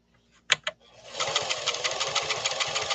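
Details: Singer Fashion Mate Model 362 sewing machine, 1970s, after workshop restoration, sewing at 11 stitches per inch: quick, even chatter about three stitches a second, no knocking or grinding; runs sweetly.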